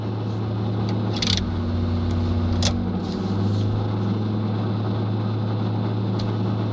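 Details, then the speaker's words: 1979 Chevy K10 square-body truck, cold-blooded engine on a cold start with no tach fitted: the V8 catches after trouble, then idles with an uneven, lumpy low beat and occasional stumbles; rough cold idle, cause not pinned down. "every time i go to start it no it doesn't do it there it goes it's a little rough as you can hear it is very"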